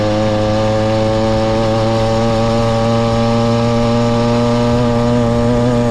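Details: Motorized bicycle ("the Mule") small two-stroke kit engine, brought in for a no-start; crisp, even buzz at steady high speed with no misfires or stumbles; running properly before teardown, which later found fuel in the float and a thin clutch pad.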